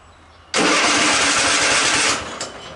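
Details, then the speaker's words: Cub Cadet XT1 46-inch riding mower, barely cranking as if battery dead, jump pack on boost: brief fast hissy cranking for about a second and a half then dies without firing; weak starter, no start, starter later replaced. "Got it on boost. Seemed like she tried."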